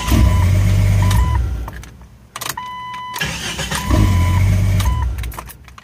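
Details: Jeep XJ after the starter was refitted; it had been damaged by water and mud, and the transmission dust cover had been left off. Quick, even cranking fires and catches into a steady idle, cut once and repeated; the starter now engages cleanly.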